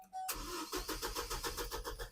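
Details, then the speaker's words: 2006 Chevy Colorado, door open, key cranking: starter turns engine with even pulses about six per second but never fires, passlock light then flashes; anti-theft passlock system disabling fuel, crank no-start. "I'm going to open the door so you can actually hear me trying to crank it. And you'll hear that it won't start again."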